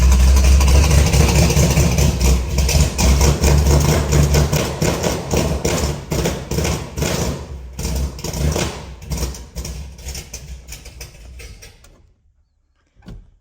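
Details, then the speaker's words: 1968 Ford F-250 with rebuilt hopped-up 390, 57,000 miles, sat over a year and a half: over ten seconds of cranking slowing as the battery fades, never firing; owner wonders whether it needs choke or is flooded. "not even firing this is the choke cable it does work does she want to be choked"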